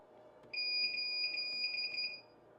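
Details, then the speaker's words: Video recorder (DVR) fault alarm: one steady high-pitched beep about 1.7 seconds long; possible causes include hard drive error, network error or wrong password, identified via the yellow on-screen triangle. "Ви мене дуже часто питаєте чому в мене відеореєстратор пишіть цей звук який ви чули - це звук про несправність"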